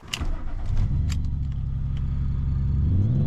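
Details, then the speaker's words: 1997 BMW M3 S52 inline-six, stored for months and very poorly running with many warning lights: just-started idle is lumpy and uneven, wavering rather than settling; cause unknown. "Stop for gas, but oh, sounds awful."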